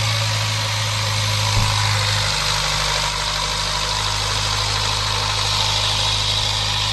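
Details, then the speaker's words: Range Rover four-cylinder petrol idling cold in the morning with a steady even hum and no misfire, after replacing all four spark plugs; previously misfired when cold with P0300/P0303 codes, now no faults. "तो ये अभी सुबह के time में मैं start किया हूं और एकदम ही नॉर्मल गाड़ी है जैसे कि थोड़ा भी मिसिंग नहीं कर रही है"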